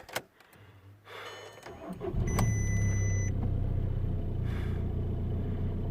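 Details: Audi A3 1.9 BXE diesel after auxiliary belt and broken tensioner replacement: starter cranks briefly, engine catches and settles into an even idle with a steady low rumble and no squeal; alternator light now gone. Normal start and idle.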